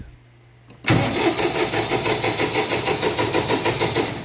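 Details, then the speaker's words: Massey Ferguson 2607H diesel tractor in neutral with PTO off and a 12.7 V battery: starter churns at a steady three beats per second for several seconds and never catches; cranks but won't start, with an unfamiliar dash light. "yep it's not starting I'm sitting in the seat so I'm weighing it down"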